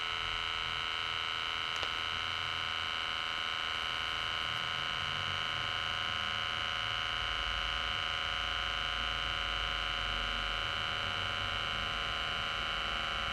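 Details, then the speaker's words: VW Lupo 3L 1.2 TDI gearbox hydraulic pump starting and refilling after the hydraulic accumulator sphere (fitted 2015) was replaced to cure slow selection of first and reverse; microphone left near the reservoir, steady even electric whine without knocking, pump running normally. "I'll actually leave the microphone here and you should be able to hear the pump start up."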